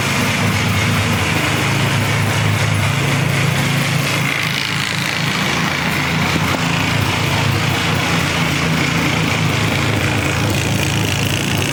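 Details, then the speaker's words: Polaris Explorer 400 two-stroke ATV, revived, running on choke in neutral on straight gas with oil injection: buzzing at steady revs with an uneven, fluttery beat about three per second; owner thinks air screw may need turning out. "Might have to turn out on the air a little bit. Not sure yet. Sounds kind of fluttery."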